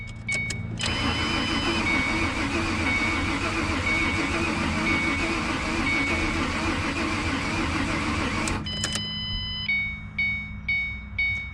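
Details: 2007 Ford Mustang V6, totaled in an accident, being revived: starter cranks steadily about eight seconds, no catch or fire, after starter fluid sprayed. Cranks but won't start; fuel pump heard working, cause unconfirmed.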